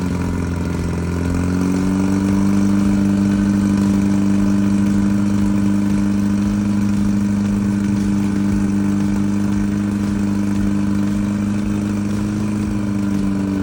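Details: Early 1968 rally VW Beetle, freshly built 1776cc air-cooled flat-four, first start after install for break-in, about 95°F ambient. Steady even rumble settling into smooth fast idle, no knocks or ticks: normal running.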